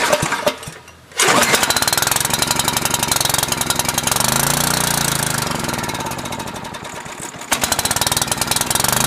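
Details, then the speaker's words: Generac 5000 W portable generator, cold start on full choke with automatic throttle, governor holds lower rpm to warm up before 3600 rpm (60 Hz): catches after a second of cranking, lumpy warm-up, then rises to an even run; healthy. "of the governor to back the RPM off and let it warm up for a second before it goes up to the 3600 RPM run speed"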